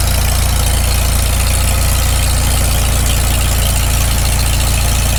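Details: Farmall Super M tractor fast cold idle right after first start following full rebuild, choked a little, initial carb settings: steady, even low chuffing with no knocks or misses; runs cleanly, idles down not too bad.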